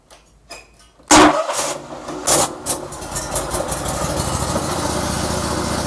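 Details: Briggs & Stratton Vanguard 35 hp V-twin road cutter, final test after repairing the carburetor fuel solenoid stuck by stale fuel from long storage: quiet cranking, sharp catch, a few uneven surges, then a steady, even idle with no knocks or misses.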